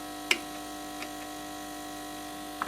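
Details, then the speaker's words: HP 8901B modulation analyzer set for 230/240 V at switch-on, display flickering, all indicators on; a few clicks over a faint steady low buzz, suspected failed power supply smoothing capacitors letting AC ripple straight through. "looks like power supply faults so at least we know what to do with that I will pull this thing apart and um investigate what's going on there but it does sound like a power supply problem sounds like caps are gone it's just no smoothing AC's coming straight through it"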